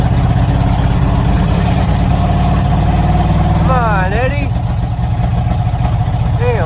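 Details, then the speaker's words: 1987 Ford Bronco XLT, cammed 351W V8 with a Holley double-pumper carb and straight-piped headers into true duals, waking after winter storage. Stumbling, irregular idle with dropped beats; misfiring, beginning to clear up. "what is he this firing talk about misfires Eddie did not like hibernating for winter I could tell you that right now"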